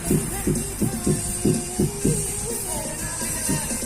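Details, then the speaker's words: SAAG 2.1-channel Bluetooth speaker subwoofer after repair, previously weak sub with normal mids: solid, even low thumps about once a second under music, no crackle; fault was a broken PCB trace at a solder joint (IC 4558 replaced, didn't fix). "นี่ครับช่างต๋องก็จะลองให้ดูนะครับเนี่ยครับเนี่ยครับซับก็ดังแล้วนะครับประมาณนี้นะครับ"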